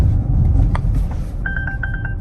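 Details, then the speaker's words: 2021 Polestar 2 while accelerating on the road: rapid run of six identical high beeps over low road rumble, the forward collision warning chime. "oh there's a collision warning that's the first time i saw that hmm that's interesting"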